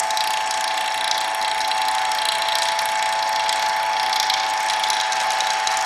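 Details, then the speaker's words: Hobart A200 mixer after repair, now greased while running: steady even hum with a constant high tone and no knocks or grinding; the earlier slight judder, thought due to no grease, is gone. "It was juddering a little bit, and we thought it might be because it wasn't greased, and it is now, as you can see, not juddering."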